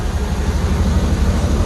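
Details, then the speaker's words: Chevy El Camino G-body with LS swap and Holley EFI, warmed up, after fixing air-fuel reading: deep, even throbbing note holds steady on throttle with no stumble, no longer dying out; normal rev response. "give it gas now it's not dying out"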